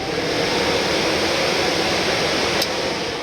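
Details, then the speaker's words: 1948 Chevy truck on an S10 frame, new 350 engine during its first start and 20-minute break-in: a fan in front of the radiator spins with a steady, airy whoosh, no rattle or wobble; normal fan operation. "so you can hear the fan running so when it starts getting warmed up we'll turn the fan on"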